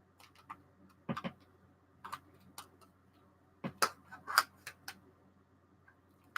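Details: Sharp, uneven clicks in quick random bursts from a Geiger counter on a strong source, going off the lower scales and reading nearly 30 on the 50 milliroentgen setting; a normal high count rate.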